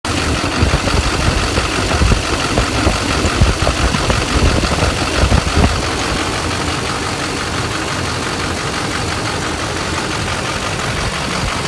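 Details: 6.6 Duramax diesel idling with an uneven, loping rhythm and irregular stumbles in the clatter, about 80 a minute. Misfire at idle, cause unknown.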